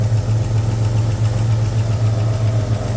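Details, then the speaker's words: Jeep Grand Cherokee WJ 4.0 inline-six, bought broken, at idle: loud, deep, uneven rumble with raspy puffing from an exhaust leak high up, engine otherwise sounding healthy. "now like I said guys you do hear that exhaust leak um or at least I hope you can it doesn't sound very nice it sounds like I've got the exhaust loose"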